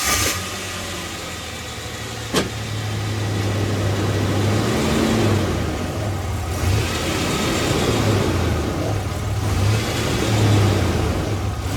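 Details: Ford Explorer with a Dana 35 front beam after a midtravel suspension install: low road rumble with sharp, isolated pops over small dips and bumps, caused by the top of the right-front coil spring popping against the coil bucket seat; retainers and rubber isolators planned as the fix.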